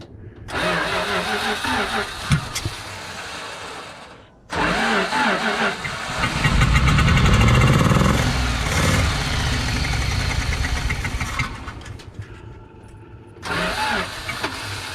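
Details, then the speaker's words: 1974 Dodge W200 with 318 V8, carburetor primed by hand: cranks and catches, runs unevenly a few seconds, dies and restarts; only fires when fuel poured in; fuel starvation, engine will not idle. "that's not going to idle [Music] i gotta get fuel in that carburetor hmm don't think we're getting fuel to it"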